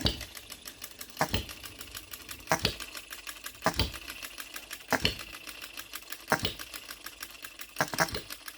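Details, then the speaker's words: OKMO Retrol B02 miniature petrol hit-and-miss engine on shellite, very first start, straight out of the box with no adjustments: sharp firing pops about every 1.25 seconds with light valve and gear ticking while coasting; even, healthy hit-and-miss run. "What a beautiful miniature hit and miss engine."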